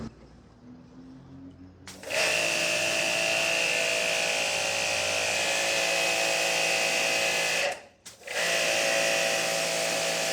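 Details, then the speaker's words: Hanabi JBD 8003 induction-motor pressure washer, 127V/110V, spraying under load through a 15-degree nozzle: steady high whine and spray hiss at constant pitch, cut once and restarted cleanly; very powerful, running healthy. "Cette machine est très puissante. Ce truc arrache tout."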